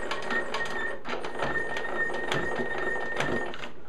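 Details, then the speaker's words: Delta 22-540 planer, stored for years, pillars and lead screws just lubricated: thin steady squeak with uneven clicks as the head is raised and lowered, rust seen on the height pillars, so a cleanup and partial teardown are planned. "You can hear it's a little bit squeaky. I guarantee you it's not going to be when I'm finished with it."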